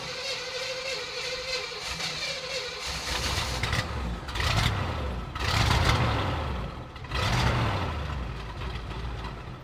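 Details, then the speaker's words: 1965 Chevrolet Impala V8 started after sitting 20 years: catches and settles into a deep, even rumble between a few throttle blips; smooth and healthy idle. "Man, listen to that thing just purr. That is crazy."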